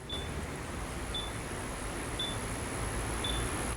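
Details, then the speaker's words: Yamaha XMAX 300 scooter with keyless smart key: four short high beeps about a second apart as the rider walks away, warning that the main switch was left on or the seat left open. "that beeping lets you know you've left your seat open and more importantly you've left your switch on because now someone can just turn it once more and then it starts up and take off"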